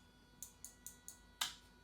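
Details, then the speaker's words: Project car's taillight wiring with temporary front blinkers: with taillights off, right blinker flashes both sides; sharp dry ticks about every fifth of a second then a louder snap, the taillight relay clicking from turn-signal backfeed. "But if the tail lights are off, the right blinker flashes both blinkers. And you can tell it's the tail lights because you can hear the relay clicking."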